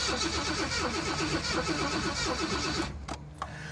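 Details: Jaguar XJ6 after installing a used replacement fuel control unit: starter churns evenly about three beats a second for nearly three seconds with no firing, no change from before; owner suspects engine bay wiring; crank no start.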